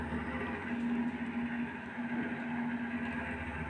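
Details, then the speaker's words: Desktop PC (Gigabyte GA-B75M-D3V, Pentium 3rd gen) just after booting with a newly installed extra case fan, side panel on: steady whirring hum with a tone near 220 Hz and airy rush; the new fan is loud, owner hopes noise may settle. "That's a pretty noisy fan. the noise will settle down maybe."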